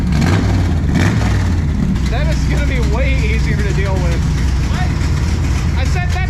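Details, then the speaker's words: Classic Mopar drag race car after exhaust welding, with a no-choke race carburetor and jets not yet tuned. It runs loud, deep and steady as a throaty V8 rumble with no knocks or misses. The running is normal, just very loud. "that's so much better it's still louder than hell but it's got tone"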